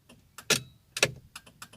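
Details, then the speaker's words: Ford Fiesta Zetec Rocam turn signal, right side previously dead with relay noise, fixed at the indicator stalk switch: crisp, evenly spaced relay clicks in quiet cabin, about two per second, no stutter; flasher working normally. "Com a ajuda do Diego aí do grupo, consegui resolver o probleminha lá da chave, da seta. Tá vendo? Agora ela tá funcionando, ó. Normal."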